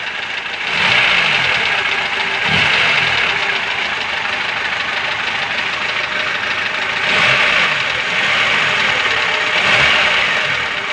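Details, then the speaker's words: Engine at idle after a valve adjustment: a dull repeating pound, about three to four per second, under hiss, still present. It sounds valve-like, but the owner suspects a piston or connecting rod knock; not confirmed. "Клапана відрегулювали, але все рівно якийсь звук є, щось товче."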